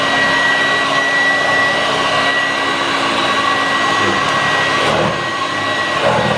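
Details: 1986 Vorwerk VK 117-1H upright vacuum cleaner after cleaning, belt problem and a modification: steady, even motor hum with a constant high whir and no surging, rattling or scraping; running normally, much better.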